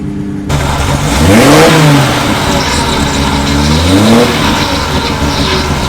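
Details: 1972 TVR 2500M started after sitting a very long time, on a new battery with the choke pulled out: brief crank, quick catch, then two clean revs rising and falling smoothly; normal start and rev.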